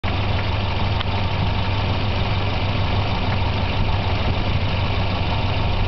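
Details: Volvo 240 idling after replacing wires and intake manifold gasket: low, steady idle with a slightly uneven, loping beat; better but not perfect, a mild rough idle with no confirmed cause.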